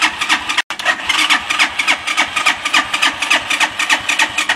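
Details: Bashan 200cc: rhythmic starter churning, about three to four beats a second, pause, more cranking with no catch; cranks but won't start, runs briefly then cuts out on easy start; owner suspects dirty carburetor.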